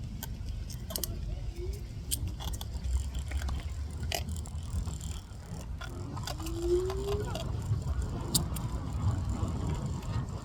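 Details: Evercross H5 self-balancing scooter wheels: rough low grinding with scattered clicks and a faint hiss.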